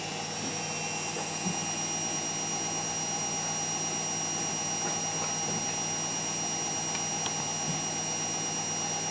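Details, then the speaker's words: Beko WMA520W washing machine on spin cycle after replacing failed drum bearings and oil seal: smooth steady high-speed whir without rumble or grinding; new bearings quiet and healthy. "we just set it on a spin cycle and it does this for a while before it starts spinning"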